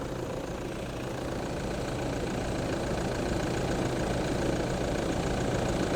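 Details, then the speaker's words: 2008 Toyota Land Cruiser 3.0 D4D diesel just after a timing belt and pump belt job, engine turned by hand first; even, steady diesel clatter at idle, no misses, knocks or hunting; sounds good, normal idle. "So we're going to fire this up, see what it sounds like, and yeah. Sorted! It sounds good. Everything looks good."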